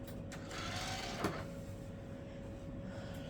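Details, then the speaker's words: Gateway Astro computer CD drive opening for a factory restore: short rough scraping whirr as the tray drives out, with one sharp click midway; crunchy eject mechanism, cause unclear. "Very crunchy sounding eject mechanism."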